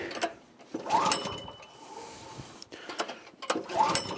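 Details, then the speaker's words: Troy-Bilt tiller repowered 14 years ago with a 6.5 hp 212cc Predator engine, first start of the season: three pulls give quick chugging that dies without firing; no-start, no spark found at the plug. "Third pull. Doesn't sound like it's going to bit. No, I don't think it's going to start, folks."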